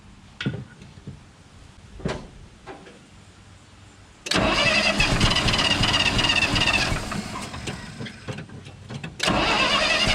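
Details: 1968 GMC C60 truck that sat unused for an unknown time with old fuel, tried on ether with air pressure built: scattered knocks then bursts of steady starter cranking with no firing taking hold; later fires on starting fluid. Crank no start.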